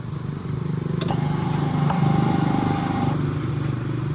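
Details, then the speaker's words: New Rusi motorcycle with about 4,500 km on it that keeps running with the key off, seat removed: at key-on a thin, steady whine runs about two seconds over a low hum, then cuts off; fuel pump and wiring OK. "Okay, so tumutunog yung ating fuel pump mga katropa. Ang ibig sabihin yan, good yung fuel pump, good yung wiring, walang problema."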